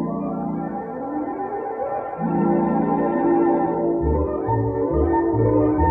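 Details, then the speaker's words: 3M Cantata background-music quarter-inch mono tape player, normal playback before a germanium transistor failed: loud, full organ music with good dynamics and no wow, hiss or dropouts. "did you hear hear how how loud it was how dynamic it was i mean for you know quarter inch mono tape it's it's very you know it sounds like shimano tape"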